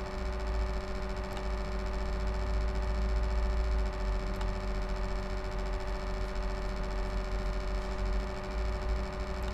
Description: My laptop HP Envy m6 makes this strange noise from the fan, someone could tell me what it is?